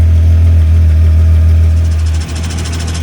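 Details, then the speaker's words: 1995 VW Golf Mk3 VR6, warm idle, MagnaFlow exhaust with test pipe: light rattle about four per second from gearbox that stops when clutch pedal slightly pressed; owner suspects throwout bearing and guide tube. "Now you can hear the extra saucy of the trans and the clutch. If I push the clutch in a little bit, it goes away. So I think overall it's the throwout bearing and the guide tube."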